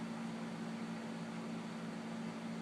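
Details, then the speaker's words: 1999 Lakewood 20" box fan model 200i, very dirty and never cleaned, before cleaning: steady low motor hum with smooth airy rush, no ticking or rubbing, slight bearing play, very quiet. Normal running. "well being it's so dirty you'd think you'd run a little bit crappy but no runs perfect doesn't move freely in here little bit bearing spirit to it with nothing major really quiet"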